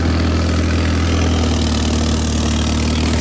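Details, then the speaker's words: 1985.5 Pininfarina Spider Europa (Fiat) cold start at idle: raw loud low rumble and puffing exhaust note; pipe into resonator disconnected, exhaust leaking. "You can hear that the exhaust may or may not be coming out where it should right now. But again, we'll fix that in the near future."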